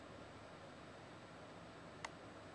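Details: Xbox 360 after the fix of gluing the detached spindle washer back in the DVD drive: only soft even hiss and one faint tick, no grinding; disc drive spins quietly as normal.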